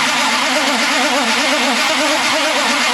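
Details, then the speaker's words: Fake 1969 Dodge Charger Daytona, choke on: starter churns the engine at a steady even beat with no firing; flooded, fuel smell, won't start. "crank just wait cuz you you you flooded it just a little just a little flood you flooded it I can smell it from here too"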